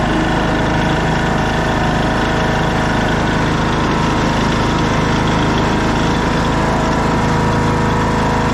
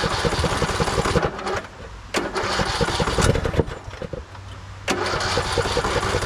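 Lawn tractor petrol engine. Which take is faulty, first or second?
second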